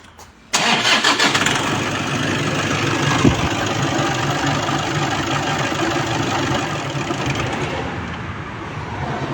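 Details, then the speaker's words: Toyota Vigo at a morning cold start and while driving: the engine catches, then runs with a rough, uneven clunking about three knocks a second from a worn water pump bearing (play in the impeller, pink coolant traces). "เสียงเครื่องยนต์ก็จะดังผิดปกติเสียงดังโครกโครกคากนะอ่า"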